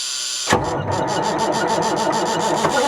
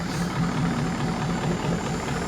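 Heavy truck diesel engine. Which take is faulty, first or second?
first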